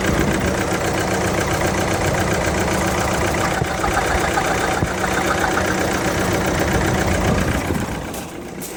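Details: Ford Transit 2.2 diesel van idling: uneven, lumpy beat with rough misfire-like stumble about three to four times a second; owner wonders about engine damage, cause unconfirmed; engine misfire at idle.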